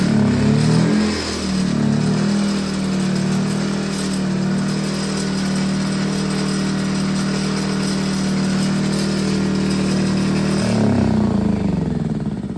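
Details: Predator Super Quiet Inverter 2000, reassembled after reseating pushrods and adjusting valve lash, restarted on the pull starter with eco throttle on after sitting a while: catches and holds a steady, even pitch about ten seconds, no misses or knocking; runs fine.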